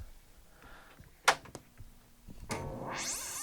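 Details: Bally The Game Show pinball, a non-working machine, old batteries removed: a few clicks, then a rising one-second electronic sweep, the normal startup sound, though the display shows adjust failure.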